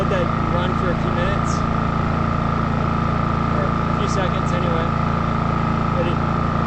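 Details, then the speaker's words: New WEN 56380i 3800-watt inverter generator on concrete, full power: steady, even drone with fixed mid-pitched tone, no misses or knocks; running healthy. "so that's that's like full power i'll let that"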